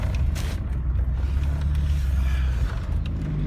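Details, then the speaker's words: VW T4 2.4 AAB diesel camper van on the road after replacing the low oil pressure switch: steady low diesel drone with no warning beeps; the flashing oil light and beeping alarm around 30 mph have stopped. "Well, as you heard, I've done it. Problem solved. Low pressure switch."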